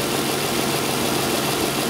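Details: 2002 Isuzu Rodeo LS 3.2 L after correcting reversed upstream O2 sensor connectors: even, smooth idle with a steady low hum, no stumbles or misses; fuel trims look better, long-term still slightly rich.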